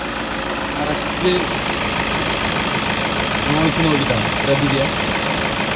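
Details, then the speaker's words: Toyota Innova engine bay with a customer complaint of tick-tick: light, uneven ticking about three per second over a steady idle, traced to the alternator pulley. "ഒരു sound കേൾക്കുന്നുണ്ടോ കേട്ടോ customer complaint അതാണ് നമ്മളിപ്പോ എന്ത് ചെയ്തു അവിടെ ഇന്നവന്റെ Dynamo അയച്ചിട്ടുണ്ട് ഡൈനാമിന്റെ പുള്ളി നിന്നാണ് ആ സൗണ്ട് വരുന്നത്"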